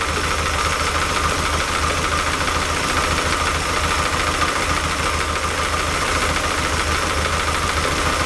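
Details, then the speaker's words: Lotus Elan twin carbs, tick-over becoming less smooth after 500 miles: idle holds steady but the beat pulses unevenly over a mild rattle; airflow meter shows the carbs are not balanced, though they were likely closer before. "interesting that are not perfectly balanced in each carb and I'm pretty sure they were closer than that before"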